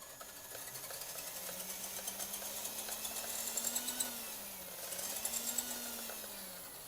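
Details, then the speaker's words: Restored electric vehicle on a relatively fully charged battery: light steady motor whir with smooth gear hum rising and falling with throttle, no grinding or skipping; transmission working, no smoke from motor; normal running. "Alright, I have a relatively fully charged battery and it's running pretty smooth. All the transmission components are working."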